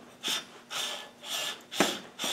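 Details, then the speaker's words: Rover V8 AC compressor electromagnetic clutch pulley (same pulley type as 300Tdi), spun by hand: five rough, gritty, raspy swishes with very little play; pulley bearing sounds dry of grease, owner unsure if bad, considers repacking or replacing. "might be might be no good but this just precious little play on it but it sounds a bit dry"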